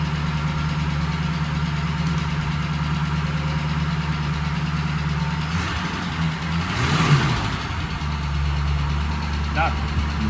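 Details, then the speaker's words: 1965 Ford Mustang coupe, V8 (supposedly a 302), parked since 1992 with a once locked-up engine, running on old fuel and an old fuel pump: steady even low rumble with no knocks or stumbles, idling smoothly and healthy. "It sounds pretty good for some old fuel."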